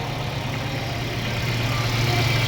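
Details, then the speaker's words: Mercedes-Benz CLA W117 petrol engine after water pump replacement for a loud pump noise and coolant loss with TopUp Coolant warning: steady, even idle, previous whine gone; normal idle. "อ่ะเดี๋ยวมาสตาร์ทเครื่องดูเสียงกันนี่ครับเงียบกิ๊บเลยครับเสียงอีๆๆๆๆหายไปแล้วนะนี่ครับปั๊มน้ำตัวใหม่เนาะ"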